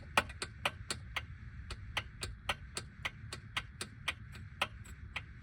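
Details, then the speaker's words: 1950s outboard motor without choke, fuel valve open and tank vented, primed before a freezing cold start: crisp evenly spaced clicks about three a second as the primer is pumped, fuel heard going in. Normal fuel priming. "And this you're going to need to prime. It doesn't have a choke, so you just prime it."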